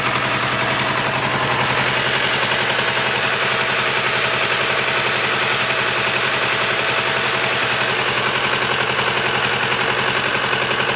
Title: strange engine noise